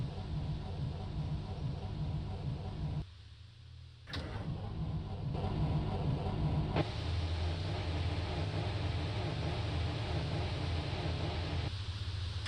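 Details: A Mercedes-Benz diesel bus on a cold, damp morning in Germany cranks in repeated starter bursts with pauses but never catches: crank no start.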